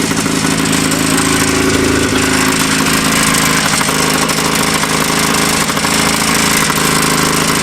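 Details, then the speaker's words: Old Yamaha snowmobile two-stroke revived after sitting in woods, worn clutch: loud raspy run, revving fast and uneven with choppy beat; sounds like idle turned way up and a bad plug, only one cylinder firing (suspected misfire). "It sounds like someone's got the idle turnway up and it's got a bad plug. That's just one cylinder."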